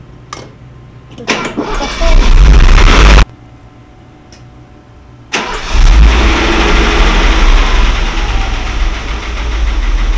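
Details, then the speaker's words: Mercedes W126, carburetted, after fitting a different carburetor to chase high idle speed and vacuum leak: cranks briefly, catches and settles to a steady, even idle around 800 rpm with no misses, suggesting the original carburetor was at fault. "Ну вот этот работает значит дело карби что-то на 800 [музыка] [музыка] оборотов"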